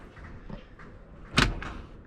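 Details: BMW X5 E70 (LCI, 2011+) glove box after replacing the blown 10 A fuse number 2, which blew while swapping the glove box bulb for an LED: quiet click then a sharp latch pop as the box drops open at the button press; normal release.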